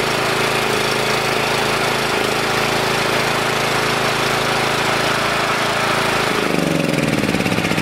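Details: Generator engine started on choke, choke removed while carb spray is sprayed at the intake manifold corner; ragged, labored run then dies after about six seconds. Runs only on spray; intake vacuum leak, possibly a hidden crack in the head sucking air.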